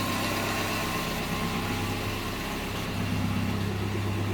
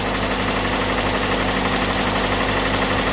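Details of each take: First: Datsun after engine bay overhaul and new spark plugs: smooth, even idle, steady low hum, firing evenly on all cylinders; previously shook violently when cold and sounded like it galloped. Normal idle. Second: Datsun idling high on choke after engine bay overhaul (valve cover, battery, air filter refitted), now running evenly without the former cold shake and gallop; faint quick light tick over idle, valve tap or possibly fuel pump, unconfirmed; idle still has a dead spot.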